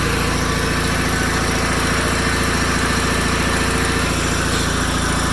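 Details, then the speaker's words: 1987 John Deere 318 with 1200-hour Onan P218G twin after starter replacement: even steady thump at about three to four beats a second with no misses or knocks, hydro quiet; idling smoothly. "That thing really does idle good."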